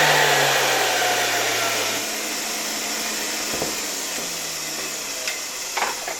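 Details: MD-010 motor from a 1981 Soviet "Rakieta" 7M2 vacuum cleaner, run after cleaning; dust smoked out at first. An even, airy high whir with no grinding or knocking; a faint noise may be the bearings or a spring. Runs smoothly.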